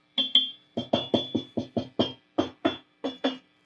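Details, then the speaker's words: Fender Twin Reverb Reissue '68 Custom amp: each light tap sets off a sharp metallic ring with a lingering tone, and it feeds back on its own as reverb is turned up. Caused by microphonic preamp tubes and a broken coax cable to the reverb tank. "This thing is feeding back in a really weird way. You can see if I even just tap."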